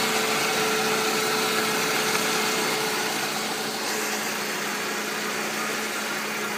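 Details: Used contract Mercedes C-Class W203 engine, M271.946, checked for knock: even, steady idle with a smooth whirr and faint hiss, no knocking or misses over seven seconds; healthy.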